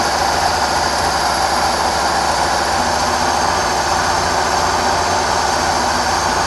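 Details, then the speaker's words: Petrol forklift after a worn carburetor was replaced and a torn-off muffler renewed (rich running, fouled plug before): steady even idle with no stumbles or misfires, no black smoke; runs and sounds better. "And I got to tell you, boy, it sounds better. It sounds better. It runs better."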